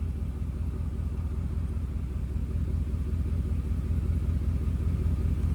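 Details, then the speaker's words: 1995 Mercedes S500 (W140) V8 idling after the fuel pump conversion and replacing a blown fuse that caused an earlier stall: deep, even low rumble holding steady with no stumbles or misses; running beautifully. "well guys she is finally running beautifully"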